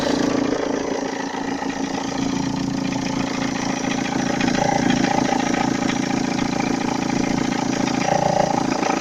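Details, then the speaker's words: 1.9 JTD diesel, cold idle with smoke: light regular tapping about three per second and faint rustle, disappears when revved; timing belt, tensioner and idler recently replaced; owner suspects compressor bearings, source unclear. "вот когда даешь газу этот стук пропадает работает нормально сейчас на холодную дым такой и то есть предположение что может"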